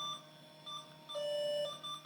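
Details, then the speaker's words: 20-plus-year-old Slot 1 Pentium 3 550 MHz PC booting Windows XP: repeated high beeps, some short, some long, continue nonstop through boot; error beeping, cause not known. "So my original hard drive, and I'm sorry for the error beeping"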